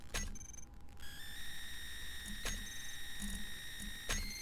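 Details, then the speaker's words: Nvidia GTX 970 graphics card with vsync off, frame rate around 2000 FPS on a game menu: thin steady high-pitched coil whine with shrill overtones over fan hiss, worsening as FPS rises above monitor refresh rate. "now you should be able to hear a horrible high-pitched whining noise that's the problem I've been having then it increases with FPS and it's my GPU that's making the noise"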